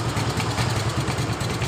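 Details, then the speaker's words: Yamaha Mio Sporty scooter that feels heavy when riding: lumpy, uneven idle wavering and fading, struggling to rev; vacuum leak from a loose intake manifold bolt, leaving it unable to hold idle. "bermasalahnya di Vakum ya teman-teman tapi motor ini keluhan dari pemiliknya motor ini saat Jalan terasa berat kemungkinan yang diakibatkan itu kebocoran dari manipolnya dan di bagian vakum yang susah Naik"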